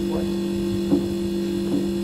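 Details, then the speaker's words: Refrigeration system with the condenser fan slowed by its speed controller so head pressure rises: two steady, even tones over a quiet background; the normal little whine of the compressor. "that nice little whine of the compressor."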